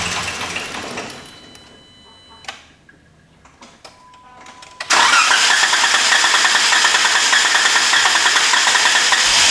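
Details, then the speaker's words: Jeep with a cylinder 3 misfire after lower intake manifold replacement, died while driving; a few weak cranking clicks, then a fast, uneven, stumbling run; P0300 random misfire code and strong fuel smell, suspected sensor disturbed during intake work. "It really sounds bad. Um I did just see on the OBD-II scanner that I'm getting a P0300 error code."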